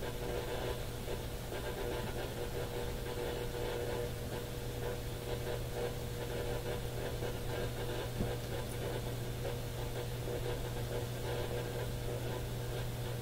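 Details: Radio at the top of the AM broadcast band at home: steady hiss with low hum and faint whistles, even the one clear local station has interference; source unknown, smart power meter suspected.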